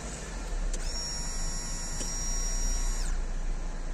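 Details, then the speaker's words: Hyundai Getz with LPG after replacing the fuel pump and filter, timing belt, plugs and rebuilding the LPG reducer: switching to petrol, a thin high electric whir runs about two seconds and stops cleanly. Owner suspects the pump only runs while cranking. Normal fuel pump priming. "працює тепер заводжу на бензині а бензину там Поки що нема тепер є коли система вже накачалась все працює"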